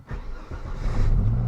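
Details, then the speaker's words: 1996 Volvo 850 after battery replacement: brief crank, fires straight away and settles into a steady low idle; starts and idles normally. "Oh, look at that. Starts right up. She's idling good."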